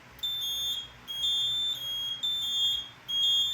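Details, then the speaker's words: Home fire alarm panel during inspection with strobe and speaker outputs disabled, showing four troubles: steady high-pitched beeps about three-quarters of a second with short gaps, repeating evenly; normal trouble tone. "Okay, so now all of our outputs are disabled. You see we got a bunch of troubles here. Not too many, just 4."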